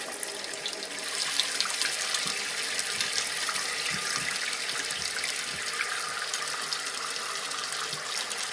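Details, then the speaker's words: Toilet tank refilling right after a new Fluidmaster fill valve replaced a leaking, noisy one and the supply valve was turned back on: steady even hiss and rush of water with no squeal or hammering; fill valve refilling normally before water-level adjustment. "now the water comes up in the tank uh we're going to adjust the level here"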